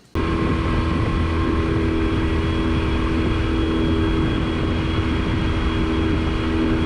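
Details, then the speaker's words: Yamaha 25HP EFI four-stroke outboard cruising at barely half throttle, 20.4 mph by GPS; steady, even drone with constant tone, no knocks or surging; much quieter than the Mariner 25HP two-stroke, normal cruising. "in this next clip notice his throttle position it's barely halfway open then i turn the camera to my phone gps and it's reading 20.4 miles per hour so it's an ideal cruising speed with a half open throttle"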